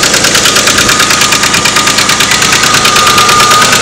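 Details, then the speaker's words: Red truck, finally started; won't go into park: loud, sharp tapping knock about three times a second over a rough idle, a heavy internal engine knock of unknown cause. "i finally got my truck running for you all you hear that noise"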